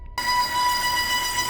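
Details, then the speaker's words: Volvo V40 T4 engine at idle with check-engine light and lean-mixture code: steady high whistle from air sucked past a torn PCV valve membrane on the oil separator above the valve cover; relieving the pressure stops the noise, a vacuum leak. "bom aqui no motor tem esse barulho então a gente conseguiu identificar um problema é que na válvula essa película tem aqui ó quer ver Vou tirar a pressão aí ele para o barulho vai parar o barulho"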